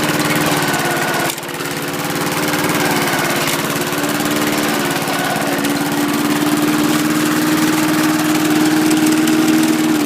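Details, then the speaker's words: John Deere Power Drive 21-inch self-propelled bagger mower, Briggs 3.5 or 4 hp engine, blade brake removed, possibly burns a tiny bit of oil: steady, even buzz at constant speed with no misses, knocks or surging; normal running. "but it runs really good right now and uh doesn't burn much oil but it does burn a tiny bit I think"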